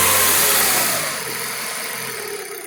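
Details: Fiat Panda 1.2 petrol (60 hp) with unstable idle and misfire on cylinders 1 and 4: revs drop from a blip to a wavering, uneven idle; rough unstable idle with misfire.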